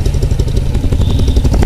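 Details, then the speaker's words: Hero Impulse motorcycle after a full service with a new timing chain and tightened tappets. Slight air noise comes from near the carburetor. Crisp, even exhaust pulses at a steady idle with no tappet tick or chain rattle: normal idle. "बाकी engine की आवाज सुनो यार भाई, बिल्कुल brand new engine जैसा होता है ना, सेम वैसी आवाज आ रही है एकदम, टैमिंग चेन डलने के बाद टैप टैप टाइट करें, और बाकी एग्जॉस्ट नोट सुनो बिल्कुल आइडल कंडीशन"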